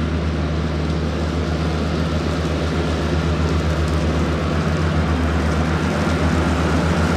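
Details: Cushman diesel front-deck mower, bought with a supposedly bad hydraulic pump, tires re-aired, mowing the yard: deep, steady diesel chug of about four beats a second holding even under load, no knocks or surging; it mows nicely.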